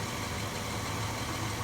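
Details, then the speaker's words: 1994 Toyota 80 Series Land Cruiser VX during an R134a recharge, engine bay. The compressor gets loud with a rattly low drone every time charge pressure drops, and the owner wonders if it is failing; loud AC compressor at low refrigerant charge. "man that sounds loud the compressor gets really loud every time the pressure dropes here it goes again"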